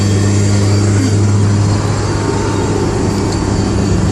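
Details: Honda S2000 AP1 cruising: low, steady, consistent whine under road noise; owner unsure whether differential or transmission.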